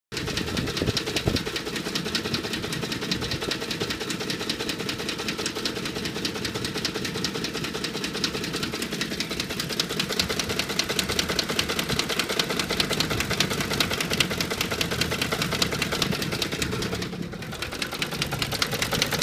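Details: 2009 Ford F150 5.4L V8, warm, idling with an intermittent rapid, uneven knocking, clatter and shaking that disappears when revved; cause unknown, once set P0022, and the dealer replaced the VCT solenoids.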